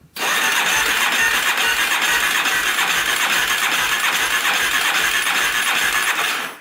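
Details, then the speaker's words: Yamaha Warrior 350 single-cylinder quad cranking with throttle open on a jumper during a compression test: steady, even compression strokes with no dragging. It reads 140, good compression. Normal cranking compression. "Definitely good compression. We're at 140. So that's not it."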